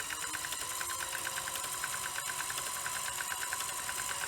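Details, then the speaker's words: Sony Betamax SL-F25UB at power-on after cassette inserted, previously ran perfectly: fast uneven ratcheting tick over thin whirr; lacing mechanism floating on gear, not engaging, possibly self-inflicted. "and I mean yeah you can sort of see it's it's it's not happy um this part the lacing mechanism it's just floating about I say floating about it's it's on the gear"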